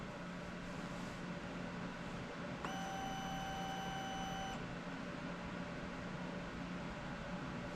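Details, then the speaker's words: TBI two-stroke dirt bike (KTM/Husqvarna/Gas Gas) during adaptive TPS reset with wake-up connector plugged in, throttle opened three times: steady high whine about two seconds over quiet background, then stops; fuel pump priming normally. "And again, we did hear the fuel pump prime and don't hear anything else, so can take this connector back off."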